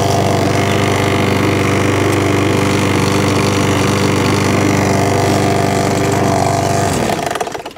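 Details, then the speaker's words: Mountfield 464 mower, running: loud steady engine with a loose knock about three beats a second from underneath before cutting out; owner suspects the loose, dirty drive cable area, not confirmed. "there's a bit of a knocking noise coming from underneath i think i know what that is already um the drive cable it's looking at and everything's loose and everything's dirty"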